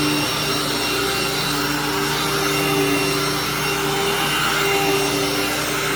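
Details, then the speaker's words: Hoover vacuum: loud but steady whoosh with a constant motor tone and no knocking or grinding. It works normally and nothing is broken, just very noisy. "great machine just too loud for my liking because to me if I'm going to use a loud machine that has a Hoover logo on it might as well choose an elite at that point"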